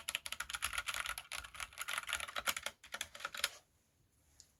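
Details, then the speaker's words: Kemove 61 Shadow mechanical keyboard, new out of the box: quick clacky typing with a hollow, rattly clack on bigger key strikes; the space bar stabilizers rattle and need fixing. "okay um as you hear the stabilizers on the space bar it's not that great but those can be fixed again"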